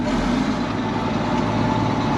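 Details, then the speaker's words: Case 1370 turbo diesel tractor with big duals, second range on powershift, pulling in mud: deep steady drone, even firing, no knocks or misses; oil pressure reaches 50 PSI. Healthy diesel under load. "she sounds healthy you can hear that turbo not wanting to turn in the mud big duels doesn't want to turn that's fun but she runs pretty good I mean sounds really healthy"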